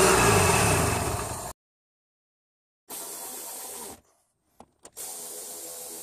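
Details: Toyota Camry 2.2L 5S-FE I4 after timing belt, water pump, seals and pulleys replacement and drive belt retensioning, run to bleed coolant air; even steady note in short stretches, no knocks or squeals; normal idle.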